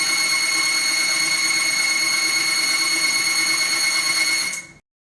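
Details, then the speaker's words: Timken bearing test rig under a 5 lb load, lubricated with M7 Gun Oil LPX: a loud, steady high-pitched screech for nearly five seconds as the lubricant fails, with the bearing significantly damaged within 6 seconds. "in 6 seconds the bearing was significantly damaged"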